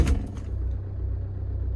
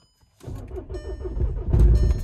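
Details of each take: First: VW Mark 6 diesel (TDI) after removing the dogbone mount stiffener insert, mount threads gnarled from being crooked but cleaned up: after brief start clatter, settles into an even steady low idle with no shaking or knock; runs smooth. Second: VW Mark 6 diesel (TDI) with crooked, misaligned dogbone mount stiffener insert: normal idle rpm but deep uneven low drumming and dull thuds as something hits the firewall.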